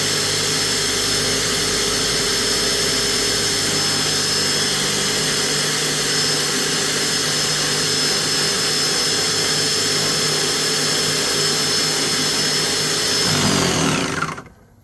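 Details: Graco airless paint sprayer in prime mode after its parts were disassembled and cleaned: a steady high whirring pump note holds for about thirteen seconds, then winds down. It now primes and pumps normally; the fix worked.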